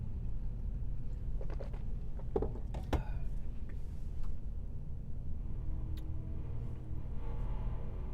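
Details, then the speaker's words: Class C RV driving: irregular metallic taps and rattles over a low rumble, clustered on bumps, from the exhaust pipe hitting the body; they stop when the protruding pipe is pressed down. "Now that noise is the exhaust pipe rattling against the body of the RV, and I don't know exactly how I can fix it."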